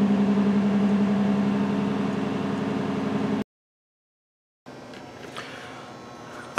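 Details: 2006 Toyota Solara V6 idles with a steady hum and a recurring stumble: cylinder 1 misfire from a failed ignition coil on the rear bank under the intake plenum; replacement coil needed.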